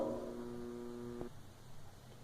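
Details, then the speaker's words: Washing machine motor: a loud, aggressive, steady electrical hum with no agitation, then it cuts off. The motor is energised but won't turn the agitator; the owner suspects a bad motor or capacitor. "ela tá fazendo um barulho forte e agressivo nem na verdade ela não pode fazer esse barulho ela tem que bater"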